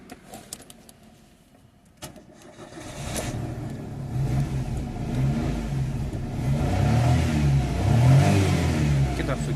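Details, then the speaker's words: Daewoo Matiz 0.8 petrol with a Kemsco D32 ECU that previously cranked but would not start on an immobilizer fault, now started with the immobilizer disabled: brief starter spin, catches cleanly, steady idle. Normal start. "πήρε μπρος με καταργημό το immobilizer. Άψογα."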